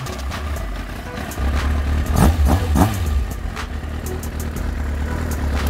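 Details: Kawasaki ZX-9R engine run after a rebuild: steady idle, then several quick clean throttle blips that return smoothly to idle, with music in the background; engine sounds healthy.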